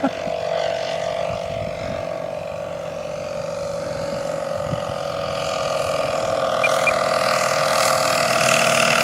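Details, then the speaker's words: 50% scale Bucker Jungmeister RC airplane engine in flight: uneven, stumbling drone before it quits on its own. "We all heard that, right? Yep. Something doesn't sound right. Something came loose."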